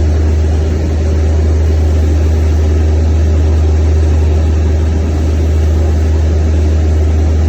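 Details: Natural-gas engine running again after a crank-no-start caused by a shut-off gas line: steady, even low drone with no misses, stumbles or knocks; smooth, settled normal running.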